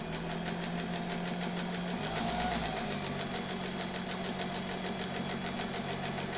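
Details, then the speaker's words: Reconditioned vintage White Rotary sewing machine sewing: low, steady motor rumble with even stitching ticks at three or four a second. This rumble is normal for this motor design, a smooth, healthy run. "You'll notice that if you can hear the motor, it has sort of a low rumble. And if it sounds different to you than other sewing machine motors, that's normal. It should sound different because it is different."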